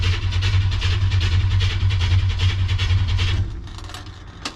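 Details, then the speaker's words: 1957 Chevy cranking after the fuel tank reinstall, with fuel pressure on the gauge and a leak at the pump: the starter churns about three beats a second for three seconds and the engine never catches; cranks but won't start, cause not confirmed. "looks like that answer is no so far"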